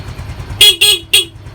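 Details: Yamaha Mio M3 fuel-injected scooter after fitting a Mio Soul GT regulator-rectifier to fix MIL code 46 (charging fault); two strong, clear, steady horn blasts over soft idle, horn loud and charging now normal.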